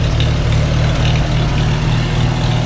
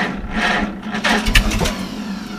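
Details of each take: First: Farmall H, first start after winter on a cold day with thick oil, now warmed: steady low four-cylinder idle, even with no misses and a brief squeak. Initial roughness cleared and all four cylinders firing. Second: Farmall H first start after winter on a cold early spring day: sluggish, slow dragging crank before a first pop, expected from thick oil; then sputters, idle rough at first but smooths out; slow cranking from thick cold oil.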